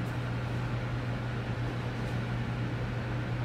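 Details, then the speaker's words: Ham radio receiver swamped by a loud steady buzzing hiss with low hum, noise floor +20 to +30 dB over S9, from arcing at faulty power line equipment on poles outside the shack. "you're looking at plus 20 to plus 30 over s9 that is a noise floor that is like akin to someone screaming in your ear while you're trying to listen to classical music"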